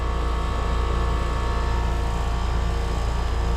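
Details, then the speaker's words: New Trane Choice 15 5-ton heat pump from August 2025, apparently LG scroll compressor, at 93°F; smooth deep steady hum from compressor and fan, no rattles or squeals, suction line ice cold, working well; normal running. "Ooh, yeah, that suction line's ice cold. It's working pretty good."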